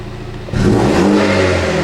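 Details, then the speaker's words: After replacing factory spark plugs with NGK Laser Iridium gapped to .060" and fitting Dinan red-top ignition coils on a tuned 2016 Mini Cooper JCW F56, the engine starts and idles steadily, revving smoothly with no stumble or misfire; the job succeeded. "sounds fine performs fine and i'm not having any misfire or other issues so this appears to have been a success"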